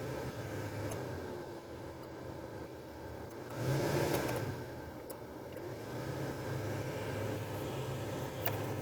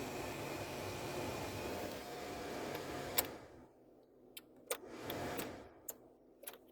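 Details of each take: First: 2005 Toyota Tacoma cabin blower after blower motor resistor replacement (previously worked only on high): steady, even airy rush with low hum, no rattles or chirps; now adjustable speeds working normally, though the wiring plug may need replacing if trouble recurs. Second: 2005 Toyota Tacoma cabin blower runs only on high: steady blower roar for three seconds, then it cuts out leaving switch clicks; failed blower motor resistor, since high speed bypasses it and goes directly to the motor; resistor being replaced.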